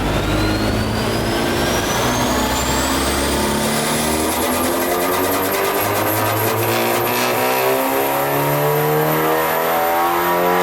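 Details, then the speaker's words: VW MK8 Golf R Stage 3 with prototype Turbo Technics hybrid turbo on dyno, full-throttle acceleration: climbing whine with fluttering chatter at lower RPM; compressor surge, though it still made 500 PS. "Now what you just witnessed there was compressor surge at the lower RPM, and that was under full acceleration as well, so it's not ideal."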